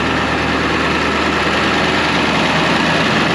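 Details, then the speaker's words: 2001 International 4700 diesel plow truck, parked at idle: rough, uneven rumble that swells and fades as it revs itself up, RPM gauge reading none; cause unclear. "Revving itself up. But let me go ahead and cut it off."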